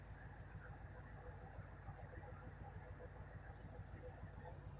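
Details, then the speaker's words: 1969 Lincoln Continental V8 off the road 50 years, just brought back to running: steady quiet low idle with an even pulse around two per second and no top-end ticking; normal idle, though a knock has been mentioned. "I'm just I'm just happy that it's uh that it's running. Pretty amazing."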